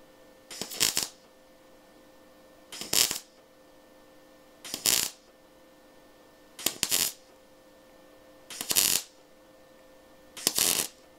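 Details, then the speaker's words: MIG welding car body sheet metal deliberately left rusty and unprepared: short bursts of harsh spitting crackle about every two seconds instead of a smooth sizzle, the arc burning through and melting the rusty sheet. "Tu vois déjà, ça perce. T'entends, cette espèce de crépitement, il est pas bon."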